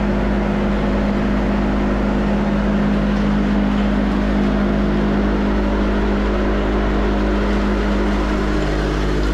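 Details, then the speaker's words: Van Dale silo unloader freshly greased, oiled and hung in the silo, run on electric power: steady even hum and low drone with no knocks or grinding while making rounds; normal running. "got the power hooked up so we're gonna fire it up let it run around a little and level things off and get it set make sure it's working like it's supposed to"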